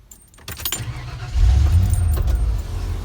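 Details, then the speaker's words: 1992 Ford F150 right after a fuel pump installation, first time running in a while: keys rattle, a brief crank, then it catches on the first try and settles into a steady low rumble; normal start. "Starts on the first try. That's good, right?"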